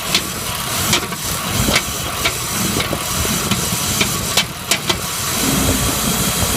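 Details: BMW E39 M52TUB28 cold start: uneven sharp knocks and ticks over cold idle, few per second, fading as it warms; cause found to be a cracked crankcase ventilation (KVKG) hose causing an unmetered air leak.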